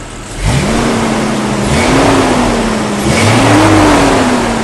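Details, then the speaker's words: 1998 Jeep Cherokee after replacing all six fuel injectors (it had run badly with poor mileage): picks up cleanly from idle and revs up and down smoothly, with no misfire or stumble; running well. "she is running good I'm going to take it for a test drive"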